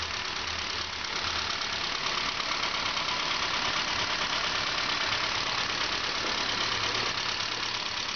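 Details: Saab 9-5 2.0L turbo, replacement B205E engine fully rebuilt by owner, first start: steady even idle with smooth hiss, no knocks, misses or hunting; normal idle.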